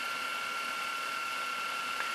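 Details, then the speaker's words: Lite-On DVD/VCR combo, VCR section rewinding an old tape very fast, counter racing down: steady high whir from the spinning reels with one faint click partway through; normal, healthy rewind. "See, it's already down to 55, 52, 48. See, it's real fast. And you can hear it racing."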